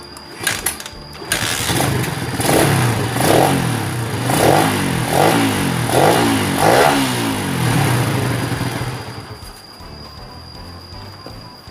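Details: Honda Sonic single-cylinder, previously hard-starting and sluggish, compression somewhat low, after fitting a replacement carburettor: engine catches, rises in several quick rev blips and settles to steady idle each time; carb picks up cleanly.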